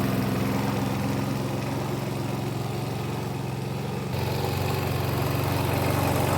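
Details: 1988 Alco push mower, Briggs and Stratton single-cylinder auto-choke engine, after service with new blade: steady, even running, dips briefly under load and picks straight back up, no misfire or knock; normal running.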